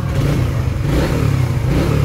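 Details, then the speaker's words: Trader 150 FI motorcycle that stumbled and stalled in rain, after new original spark plug and plug cap: engine revs and settles evenly while soaked with water, no stumble or cutting out; normal running after repair. "Ayos na. Tubig test. Okay na guys."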